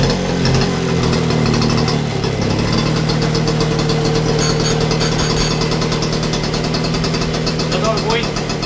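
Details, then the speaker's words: Motobécane AV89 Balancier two-stroke moped, carburettor cleaned, after warming from a rough cold start: fast, even putter at a steady idle, no misses or surging, and it runs round. Normal idle. "Ouais, ça fait un joli bruit. Hein. Écoutez-moi ça, les amis. Ah, elle tourne rond, hein. Ça tourne bien."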